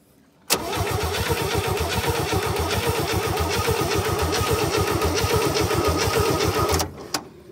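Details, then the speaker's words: 1967 Chevy C-10 rescue project, cranked via remote starter: starter spins engine at a steady rhythmic churn for about six seconds without firing; no spark found, points suspected. "well she's spinning she's not sparking use well we don't know if it's sparking or not usually that could be the the points"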